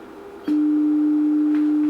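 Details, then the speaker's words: Music & Sound MC602 radio intercom master after a distortion repair, with a generator signal fed in and a scope on the master speaker output: pure, steady tone with no buzz or crackle; clean amplifier output. "there's our sine wave as clean and as perfect as it possibly could be just for fun so if we change our frequency we can go up [Music] that's 1,000 htz enough of that"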